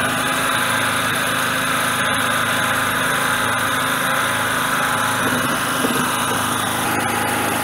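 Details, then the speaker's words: Generator small engine on petrol, choke off, before load added, run until fuel runs out: steady even buzzy run, no misses or surging at constant speed; normal running. "okay let's crank it i'll put choke the choke is off okay i want to run it i want to run it until the gas runs out"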